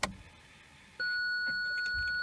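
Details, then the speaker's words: BMW E46 Touring, ignition on with reverse engaged, engine off: one steady high-pitched tone lasting a few seconds, then stops; parking sensor system fault warning indicating a faulty sensor. "we can engage the reverse gear so that the sound and it will last for a few seconds and now it's just stopped"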